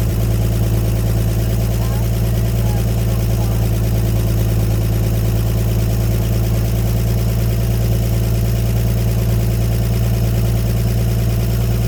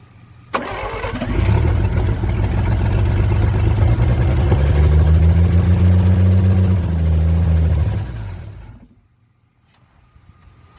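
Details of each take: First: 1954 Chevrolet 150 old six-cylinder, just revived after sitting, coil jumped and temporary jumper-cable battery leads: steady, even low rumble with no misses, knocks or stumbles over thirteen seconds; normal smooth idle on its own fuel before running out of gas. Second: 1954 Chevrolet 150, first start after long storage, fuel hand-poured into carburetor: catches almost at once, deep fairly even rumble for about eight seconds, then dies as the poured fuel runs out.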